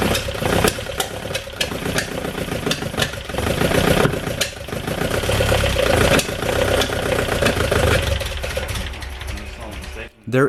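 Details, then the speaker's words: VW Golf Mk1 with a swapped 2.0L 8v engine on Dellorto DHLA carbs, first start. Rough, uneven running with sharp irregular pops and bangs through intake and exhaust; ignition problem suspected, not confirmed. "some life in it but it's clear that something is wrong the backfires are telling me that the ignition might have a problem so we are going over it before trying it again"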